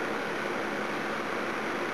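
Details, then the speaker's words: Old electric heater (about 18 years, 240 VAC, 1800W or 2400W) after cleaning and servicing its seizing fan motor bearings; steady even rushing whoosh with no scraping, squeal or rattle, fan spins freely, much better, working like new. "let's give it a test run see what happens a that's much better than has an"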